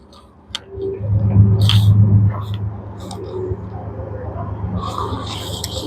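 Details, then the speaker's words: Super General single-door mini fridge on 230 V with the overload and PTC relay removed: a click, then a loud low mains hum as the compressor strains but fails to start. The overload protector has tripped from overheating, showing no continuity. "Compass are not starting we can check here 230 power you can hear the noise again the PT uh overload protector is already gone now"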